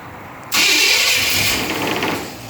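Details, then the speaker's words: Old car engine with new exhaust, distributor cap wiring placement uncertain: catches and settles into uneven lumpy idle, not quite right yet; loose rattle is unbolted wooden running boards. "not quite right yet yeah that noise is just a wrap the wooden running boards here rattling"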